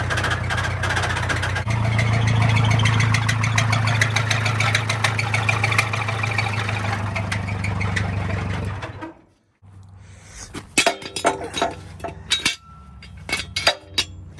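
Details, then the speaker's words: Massey 50 tractor with Continental Z134 engine, knocking with heavy blow-by after seeming to overheat while bush hogging: under load, deep regular knock about three a second, then it dies and clatters; owner suspects a spun bearing, cause unconfirmed. "Something happened inside the engine for sure. I don't know if it spun a bearing."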